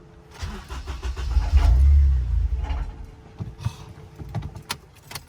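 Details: Honda Accord K-series swap, in neutral with the fuel pump primed after a fuel pump issue was diagnosed, at its first startup. Rhythmic starter burst of about four beats a second, then it fades without catching; cranks but won't start.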